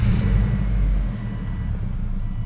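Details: Subaru Forester XT, first start right after flashing a Cobb AccessPORT tune during misfire fixes (NGK iridium one-step-colder plugs fitted): low, steady idle rumble with no misses or knocks; runs normally.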